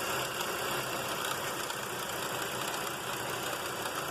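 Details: 1995 Mercury Mystique petrol engine idling: light uneven knock about twice a second over a hissy running note, source unclear, suspected around the timing belt; abnormal noise at idle.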